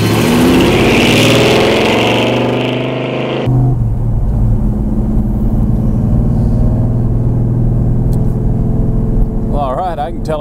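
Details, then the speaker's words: 1970 Chevelle V8 on its first test drive with Holley Terminator EFI replacing the 3310 carburetor. A strong, smooth pull, then an even cruise with no stumble or misfire. Throttle response is much crisper than with the carburetor, normal acceleration. "The throttle response is a lot crisper than we had with that 3310 Holley, I mean it's unbelievable how much better the throttle response is."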